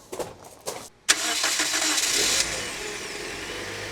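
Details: Freshly replaced alternator on a Toyota Corolla: a few clicks, a short crank, then it catches and settles into a quiet steady idle; starts and runs normally, charging at 14.69 volts.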